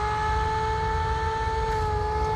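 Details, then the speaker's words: Webb Whacheon lathe run from a VFD on 220 V single phase, up to 1800 rpm: steady fan hum near 430 Hz over low rumble, one side's fan running while the other isn't; cause unconfirmed. "now I am a little concerned with this noise it's making it's the fan why is it kind of humming"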